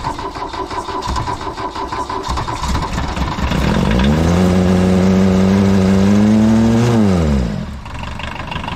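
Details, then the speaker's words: Abandoned 1980s VW Rabbit pickup diesel, gravity-fed fuel with no fuel pressure and hardly any coolant: slow cranking, then it catches and revs with a rough, hard knock running through it. The cause of the knock is unknown. "hmm it doesn't sound real good kind of sounds like there's a knot oh and there's not like hardly any cooling in it so i can't run it real long but it runs"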